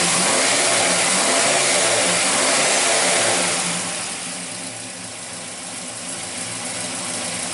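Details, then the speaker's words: 1968 Chevelle with a carbureted LS 5.3 V8, after replacing the water pump and clutch fan: it settles from a rev into a smooth, even, fairly quiet run with no ticks, knocks or squeals, and only slight fan clutch wind noise. "yeah that's definitely way gooder take you back here let you hit listen to it sounds red okay cool [Music] yeah not too bad I thought you'd hear you know what kinds of fan clutch wind noise but I'll live with that"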